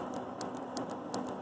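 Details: Bridgeport Model 6F milling machine power feed switch, previously sluggish with a delayed release, after contact cleaner: crisp, clean clicks several times a second with no lag or chatter. Normal switch clicking.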